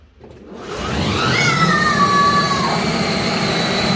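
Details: 12V 4x4 Power Wheels ride-on upgraded with four high-speed motors, a new large speed controller and new fuses, in drive under the pedal: motors spin up with a high whine that settles steady, smooth and even, with no grinding or cutting out.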